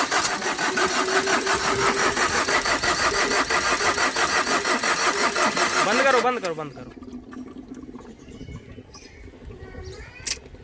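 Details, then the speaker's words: Overheated Tata Vista: quick, even cranking about three beats a second never catches, then falls quiet, despite petrol-soaked cloth; smoke pours out, engine failed from overheating. "इस वजह से गाड़ी start नहीं हो पा रही है इसका इंजन फेल हो चुका है"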